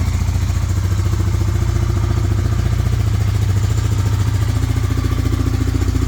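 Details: 1998 Honda 300 4x4 ATV, sitting for years, idling after a Honda Foreman 450 carburetor was installed and the gas tank vented; even, low single-cylinder thumping with no misses, surges or knocks, no smoke. Normal idle, though it later stalled (suspected CDI).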